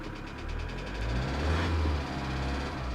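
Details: 2008 Kia Sedona 2.9 CRDi diesel (J3), P0016 crank/cam correlation code returns: loose, uneven knock about three per second at idle and light revs; jumped or faulty timing chain suspected, not confirmed.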